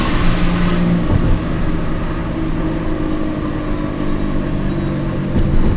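Steady low droning hum under the road noise as the car cruises, holding pitch with speed; sounds like a worn bearing.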